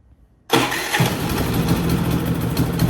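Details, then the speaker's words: Harbor Freight Predator 3500 inverter generator after maintenance with BPR8-type spark plug gapped about 0.030–0.031 in, warmed to operating temperature: starts instantly, even steady hum with no misses or knocks; running normally. "all right so it's up to operating temperature pretty pretty uh pretty warm so uh it seemed to be running pretty pretty decent with the brp8"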